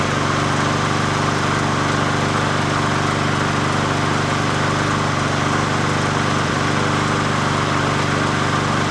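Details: 20" Murray push mower #20201D after straightening its wobbling crankshaft and cleaning: an even, constant drone at steady speed with no knocks or surging, running smoothly; the owner notes it could be low on gas.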